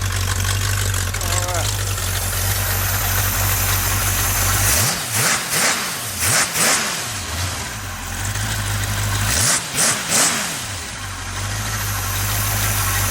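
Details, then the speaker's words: 283 small-block V8 for a 66 Chevy truck on the engine stand, idling at 600 rpm with 50 psi oil pressure, not charging: even low idle with quick throttle blips rising and settling smoothly; healthy. "Alright, we'll let it run a minute and then we'll shut it off and pull it off this stand. £50 oil pressure. So it's not charging, girl. No amps. Idling at 600 RPM."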